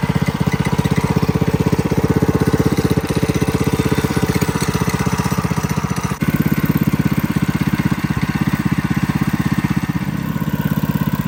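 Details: 212cc HEMI engine, new, with governor and oil sensor removed and a torque converter fitted, on a Coleman CC100X mini bike. Steady single-cylinder thump at an even fast idle with no misses or knocks. A bit loud but healthy, normal running.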